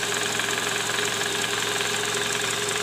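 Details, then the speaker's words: Toyota Camry 2JZ engine at 148,000 km, heard at idle from below near the oil pan: loud, rough, uneven gravelly knocking; worn, scored balancer shaft bearings, likely from improper installation with under-torqued balancer bolts. "nah disini terdengar bunyi keras terutama di bagian Karter oli mesin EDC"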